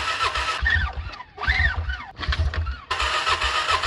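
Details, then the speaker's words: 2006 Can-Am Outlander 400 HO 4x4 ATV sat for years: starter churns in repeated bursts, never fires. Spark confirmed, reserve fuel line dry, pulled plug not wet; owner suspects long hose from tank via petcock and vacuum pump to carburetor slow to deliver. Fuel starvation. "we are getting spark but i don't think we're getting fuel this is the reserve line right here and it's dry there's nothing coming out i don't know what's going on really so it's obviously a fuel issue"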